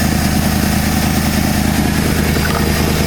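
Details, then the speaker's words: 1968 Ford F250 camper-special pickup V8, non-running for years, finally starts after the condenser is replaced; not fully warmed, mixture screws at 2.5 turns: smooth, even low rumble with a steady beat, no misses or knocks, a clean healthy idle. "it was the condenser no way that's the bestest sound that's that best I've ever heard"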